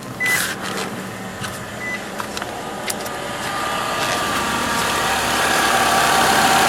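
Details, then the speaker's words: 2011 Nissan Altima 2.5 SL, 76,000 miles, well maintained with oil changes: chime beeps, then soft even hum at idle with no knocks or misses; quiet healthy four-cylinder, normal idle. "So that is what a Nissan Altima with the 2.5 2011 engine sounds like. With 76,000 miles on it. It's been well maintained with oil changes. Pretty quiet car."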